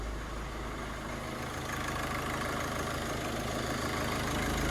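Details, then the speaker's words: Ford Focus diesel after cam cover refit, not yet warm: steady even clatter picks up slightly with a light blip then settles back, smooth, no knocks or misses; no warning lights, sounds lovely. "so that's good i don't want to rev it too much but i'll just give it a little bit sounds lovely doesn't it really nice"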